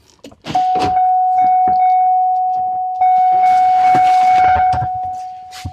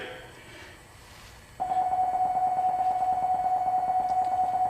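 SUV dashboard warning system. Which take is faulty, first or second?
first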